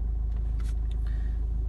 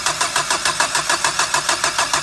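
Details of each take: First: Renault 1.5 dCi diesel after a starting problem was repaired and fault codes were cleared, no warning lights: low, steady chug with a fine, even beat, nothing rattling or missing, normal diesel idle. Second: 1.5 dCi diesel with a starting problem, before electronic diagnosis: even cranking at about three beats a second for two and a half seconds that never catches. It lacks diesel fuel pressure, so no start.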